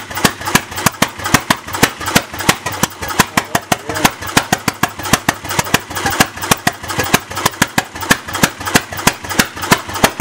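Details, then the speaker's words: Bessemer engine, unstarted for probably 50-60 years, first test start with no muffler: loud sharp unmuffled bangs about three per second, uneven in spacing and strength; rough running, timing needs tuning. "oh man loud pretty loud see if we can find two that timing a little bit"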